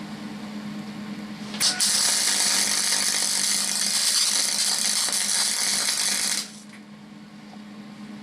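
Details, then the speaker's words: MIG/MAG test weld on sheet steel deliberately made without argon shielding gas: a loud, irregular hissing crackle lasting about five seconds. The crackling is oxidation of the metal, leaving a blotchy, oxidized bead. "on entend le crépitementquement c'est l'oxydation de la matière"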